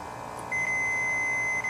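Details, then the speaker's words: Snapper rear-engine rider with a 12 hp Briggs & Stratton that has no spark: a steady one-second high beep from a continuity tester on the kill wire with the key on, showing a short to ground that kills the magneto. "so we still have a short going on here somewhere so there's with the key off they should be doing that the key on we should not have the ground so let's look at the wiring again and trace it back"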